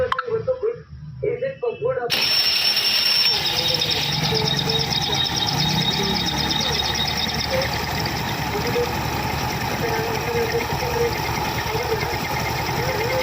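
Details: Jupiter scooter: steady, dry, hissing whir over the engine while running; CVT drive belt noise, cause unclear.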